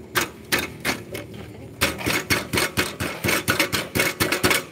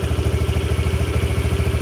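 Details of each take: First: Yamaha Jupiter (Burhan) after engine work with a larger piston: sharp uneven metallic clanks from a broken-loose part rattling inside the muffler, causing a "kletek" noise when riding; the engine itself now runs fairly smoothly. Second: Yamaha Jupiter Burhan engine after repair of a ticking noise, now idling fairly smoothly with a steady even low thump and no knocking, like a normal Jupiter; big piston fitted; exhaust has something loose inside making the muffler sound.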